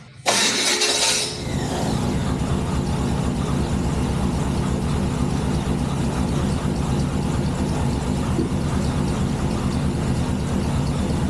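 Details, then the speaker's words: El Camino V8 just after an engine upgrade, with new alternator wire, timing, idle and air mixture screws set and the alternator charging 14.5 V: short crank then steady, even low-rumble idle with a couple of audible exhaust leaks; normal idle. "She's got a couple exhaust leaks. I'm sure you guys can hear those. But she's a certified ripper now. Listen to that baby purr."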